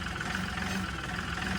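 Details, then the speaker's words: LS MT3 35 common-rail diesel tractor, suction control valve unplugged: uneven, lumpy, wavering surging idle from excessive rail pressure; it does not smooth out when plugged back in, as the valve gets no power. "So, that rough running, normally with a good system, it'll run like that and then the second I plug it back in, it'll smooth right back out and it doesn't in this case."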